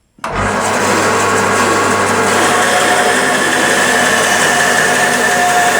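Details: Sip 01366 14-inch bandsaw with newly fitted blade, ripping wood along the fence: motor spins up fast, then an even steady hum with light hiss through the cut; saw runs smoothly.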